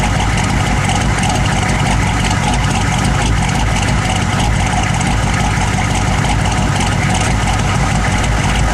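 Deep, steady idle with a slightly uneven, lumpy beat underneath, a rough idle with no clear cause showing.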